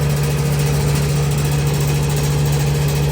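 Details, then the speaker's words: Air conditioning/refrigeration unit with a reciprocating compressor, behind a restaurant building: loud steady hum with a coarse buzzing rattle over the running compressor; suction line very cold, liquid line slightly warm; rattle source not pinned down. "Yeah, it does sound very rattly. Got her reciprocating compressor."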